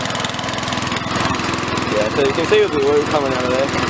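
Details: Victa mower after reassembly with fresh oil and fuel, a bit smoky from the muffler. The small single-cylinder engine chugs at a steady fast beat, firing evenly with no misses; healthy.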